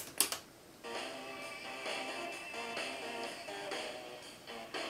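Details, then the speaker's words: Aiwa CS-R10 cassette deck during motor speed adjustment: music drags and sits low in pitch throughout, clearly slowed down; motor speed set too slow. "that's what sounds like really slowed down where you can just as it sounds like really a cat"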